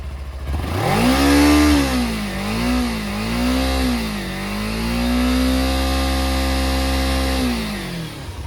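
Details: Used motorcycle being inspected before purchase: engine note climbs, dips and climbs through several throttle blips after start, settles cleanly with no misses or rattles, and no smoke seen on start or acceleration; healthy.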